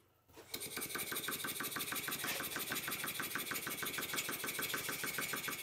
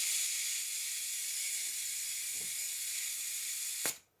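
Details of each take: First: Stuart S50 model steam engine on first test run, on air: brisk exhaust chuffs about three per second with a slightly uneven beat; runs okay but valve timing is not right, yet to be set. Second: Stuart S50 model steam engine on first test run, oiled, on air pressure: steady high hiss, then one sharp pop as the slide valve hits the port face once steam chest pressure builds; normal startup.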